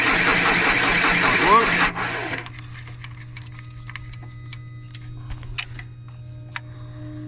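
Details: 2010 Vauxhall Insignia diesel cranks at about four turns a second for two seconds then stops without firing; barely any diesel reaching the high-pressure rail, low fuel pressure, turned out to be a lazy fuel pump.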